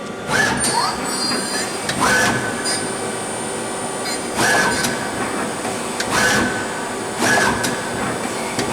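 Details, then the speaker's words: Mazak QTN 100 CNC lathe running its auto cycle at 2,500 rpm spindle speed: a steady spindle whir with a cutting pass swelling about every second and a half, smooth and even. The machine runs normally. "Great. Yeah, it runs good. Yeah, it's solid. It's a quick machine."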